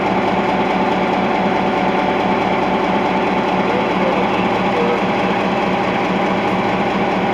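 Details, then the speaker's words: EMD 16-567C two-stroke diesel in Nickel Plate Road GP9 514 with a newly installed block, idling with a steady, even thrum and no knocks or misses; healthy idle. "Alright, listen to this, folks. The EMD 567 Sia idle. Listen to that beaut."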